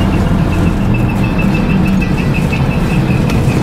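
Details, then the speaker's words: Honda Shadow 1100 motorcycle ridden after fitting a trailer hitch: steady engine rumble with faint pulsing high squeak ("quick quick") growing with speed, quieter over bumps; first thought a bearing, found to be the tyre rubbing. "Là, il se met à faire moins de bruit quand il saute. Donc c'est le pneu hein, qui touche."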